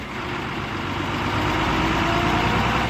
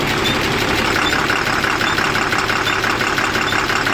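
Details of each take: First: Tata 3118 BS4 Cummins diesel with SCR after injector repair, previously knocking and smoking: even idle about three and a half beats per second, no tapping or knock; sound changed, smoke partly controlled, healthy. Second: Tata 3118 BS4 Cummins diesel with SCR, after injector repair and refitting: fast idle with an uneven stumbling beat about three per second, a brief miss just after starting; earlier knocking and smoke.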